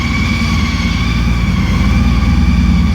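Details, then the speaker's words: 2014 Honda CTX1300 Deluxe idling in a garage: deep, even rumble with a steady high whine from the driveshaft-to-transmission drive, which is normal for this bike; healthy idle. "Matter of fact, let's start it up so you can hear the rumble that I'm talking about."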